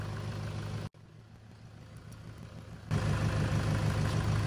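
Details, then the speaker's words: 2011 Toyota Hilux KUN26R, 1KD diesel, manual, after alternator replacement, running with battery negative terminal removed; even idle clatter, steady low throb about three beats a second, keeps running; alternator charging, healthy idle. "Yep, it's running. Remove the negative already, so we're good."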